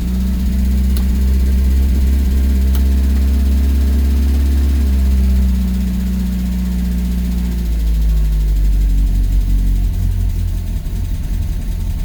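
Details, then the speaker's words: Renault R8 project car idling about two minutes after a cold start, after resetting the valve clearances, fresh oil and coolant and setting base idle; a deep, even rumble whose revs step down gently after eight seconds, with no knocks or misses, a healthy idle. "And that is about 2 minutes after a cold start."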